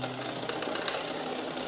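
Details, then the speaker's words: Shimano road bike: fast steady metallic rasping of chain rubbing inner front derailleur cage; trimming the cage slightly silences it. "you can hear the chain rubbing I went even one gear up one gear further here on the cassette"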